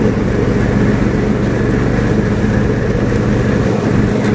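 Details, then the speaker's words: Free, previously non-running John Deere riding mower revived and greased, mowing: a steady single-cylinder drone with a smooth, unbroken beat under mowing load, normal healthy running. "well i just got a really good test the mower i'm very happy with the way it performed"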